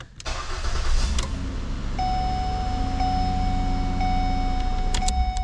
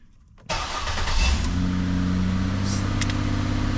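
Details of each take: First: 2008 Ford Escape during replacement of the ignition lock cylinder housing, with the switch and security sensor reconnected: a short crank catches at once and settles into a smooth, steady idle with no stumble or misfire. Normal start. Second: 2008 Ford Escape with a no-start/no-crank complaint: with the key held at start there is no start until the ignition switch is pushed, then a quick crank catches into a steady idle. The worn lock cylinder housing is blamed.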